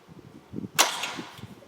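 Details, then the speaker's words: Test start on temporary wiring through the cab with a battery on the floor: the starter circuit is switched on after the ignition and fuel pump circuit. One quick sharp snap as the starter engages, then a brief fading whir. Starter working. "so you can hear that so that's working turn the power back off so that's a good sign for being temporarily kind of wired up"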